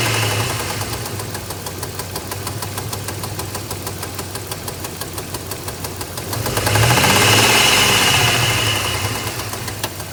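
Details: 2002 Dodge Ram 1500 3.7 engine: sharp, very regular tapping about three times a second over the idle, louder as revs rise; unexplained knocking/popping, cause unknown.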